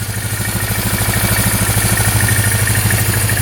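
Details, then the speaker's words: Polaris Magnum 325 4x4 ATV after ignition switch starter fault bypassed, choke off: steady even single-cylinder thump at idle about three beats a second, no knock, no carb leak or smoke; normal idle. "I don't see any leaking wow not too bad no leaking from the carb at all cool yeah that sounds really good no smoking"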